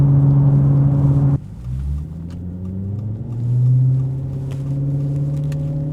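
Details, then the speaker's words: Maserati GranTurismo with a vandalized, ruined exhaust: a deep booming V8 drone that swells and falls with revs and is said to be audible kilometres away. "Aika eläimellistä menua on kyllä täytyy sanoa. Kuuluu luultavasti viiden kilsan päähän tämä vingutus tuonne."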